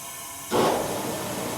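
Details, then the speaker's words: 1979 GMC Sierra, likely V8, abandoned 25 years under a tree, leak-down test: sharp steady hiss of air coming out the intake though the intake valve should be closed; something may be holding it open; air leaking past intake valve. ">> And it's still coming out the intake. >> Yeah. >> Could be something keeping it open."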